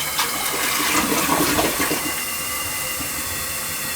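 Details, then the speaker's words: Rental toilet after the valve was opened and something was pulled out. Strong rushing flush tapers into a smooth refill with a faint gurgle of paper going down: flushing properly. "Now watch to see if it goes down good this time. Look at that. Oh yeah. What a difference."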